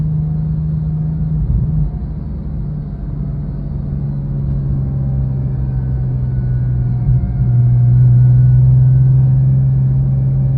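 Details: Porsche 997.1 Turbo engine running with a constant low whir over it, caused by a bad idler pulley bearing, the pulley just below the A/C compressor.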